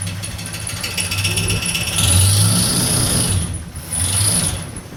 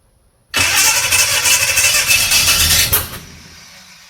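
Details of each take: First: 1969 Chevrolet C10 with a 396 big block that had sat for roughly 20 to 28 years, with timing set and ignition wired. Idles, then swells smoothly through a few throttle blips, pulling cleanly with no knocking or misfire. Runs well; high mileage, with a leak noted. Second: 1969 Chevrolet C10 with a 396 big block that had sat for roughly 20 to 28 years. The starter spins the engine steadily for about three seconds at roughly three turns a second, and it never catches. Cranks but won't start; they suspect the timing is off, possibly too advanced.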